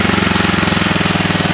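Small engine at a fast idle with an even, hollow knock on every firing stroke riding over the exhaust, consistent with piston slap.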